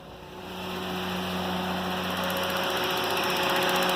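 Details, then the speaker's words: K24-swapped Honda Insight idling with new exhaust, cold night, running slightly warm (cooling system may need bleeding): quiet steady hum with light quick injector tick, no hunting or stumbling; normal idle. "But yeah, it runs pretty good actually, and I got my wideband just sitting there."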